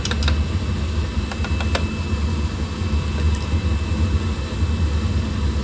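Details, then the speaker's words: Oil burner with intermittent shutdowns, cleaned last week and oil solenoid replaced: ignition heard, motor starts, lights off normally with steady flame rumble and fan hum after a few early ticks; no fault found while running. "I can hear the ignition. Motor comes on. Hasn't landed on any kind of dead spot. Lit right off normally."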